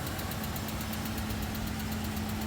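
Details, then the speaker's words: 1995 Ford Aspire with automatic gearbox, running on LPG: a steady idle with a light, even ticking about eight per second from excessive valve clearance. "รถมีวาล์วห่างเสียงดังนะครับจากวิดีโอน่าจะพอได้ยินเสียงดังติ๊กๆนะครับ"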